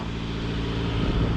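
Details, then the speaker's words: 2000 Honda CR-V, 170,000 miles, theft recovery, cold day, nearly out of fuel: steady, even low hum with no knocks or misses, little smoke, likely condensation; normal idle. "don't see much smoke that's probably just condensation from it being cold outside but yeah man this thing is running smooth"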